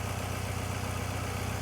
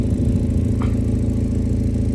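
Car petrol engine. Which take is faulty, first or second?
second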